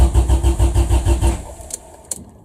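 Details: Honda Civic EF after OBD0-to-OBD2 wiring swap, first start attempt: starter churns about seven even beats a second, no fire; crank no start, fuel pump suspected running backwards, regulator gauge showing no pressure, plug fuel-soaked.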